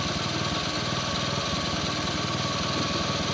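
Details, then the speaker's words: Bajaj CT100 single that stalled once hot, after new magneto coil, CDI, spark plug and ignition coil and cleaned carb: starts on one click, even quick putter at steady idle with no misfires or hunting; normal idle. "Click andar. So uli na rin natin uli kung one click pa rin. Ayan siya tanda na siya."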